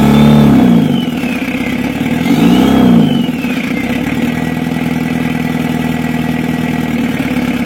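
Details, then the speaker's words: 1982 Toyota Hiace LH11 2.2 diesel, restored, cold at 38.4°C with no thermostat fitted: diesel clatter at idle after a couple of revs, beat slightly uneven with a faint limp; rough idle, fix left for later. "masih ada sedikit pincang Lur untuk bunyinya kita biarkan dulu nanti kita baru kita perbaiki ya Lur"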